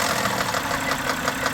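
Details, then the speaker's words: 2010 BMW 328i xDrive at low idle, no check engine light: light even tapping six or seven per second over steady idle, gone when revved; owner suspects water pump or pulley, earlier thought lifters; unconfirmed. "but it uh you know other than this tap the motor sounds like it's uh it's running really good"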